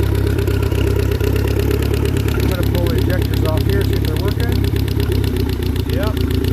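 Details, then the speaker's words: Four-cylinder car engine after fouled spark plugs replaced with new ones: loud steady idle, even beat, no popping or missing, all cylinders now firing. "let's see if we can finally get this thing to see one on four cylinders instead of popping popping popping smells so bad"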